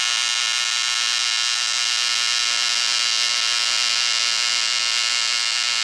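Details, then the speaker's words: ProTIG 200 TIG welder after setup mistake fixed, gas regulator at 35–40 while flowing, thinner piece: steady even high-pitched arc buzz, no sputtering or popping; stable normal arc, no more black splatter. "well i gotta practice a little current control there that's working a hell of a lot better than it was before though"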